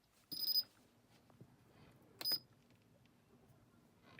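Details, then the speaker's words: Whirlpool Cabrio top-load washer (WTW8800YW/WTW6600) after start button repair with a fitted metal brace: click and two short high chimes, then the machine starts; start button now responding normally. "you can hear the click now. And now it starts."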